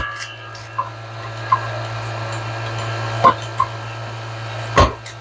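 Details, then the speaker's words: LG refrigerator not cooling properly, condenser replaced after dye revealed a high-side leak: vacuum pump evacuating the system (pulling down to around 30) gives a steady even low hum with a few handling knocks, normal pump-down. "all right now we're going to evacuate the system"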